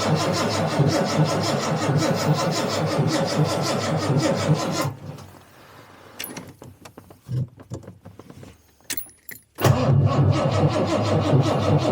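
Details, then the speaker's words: Jaguar XJC (XJ Coupe) after a rebuilt cylinder head install; starter cranks in a quick, even rhythm but it won't fire; spark verified, it runs only on starting fluid; owner suspects the AED is dumping fuel, not confirmed. "all right I tried that made no difference it runs on starting fluid nothing else I believe the AED is at fault"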